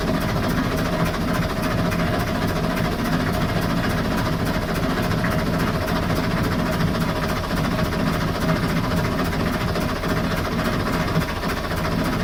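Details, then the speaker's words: Perkins 4-107 marine diesel, boat sat 8+ years, seized engine freed, run on fresh fuel: steady idle with faint rhythmic puff under clatter; number two injector copper washer not seating, blowing back compression. "number two injector you can hear a little bit of uh and blowing back some of the compression but other than that it sounds pretty healthy"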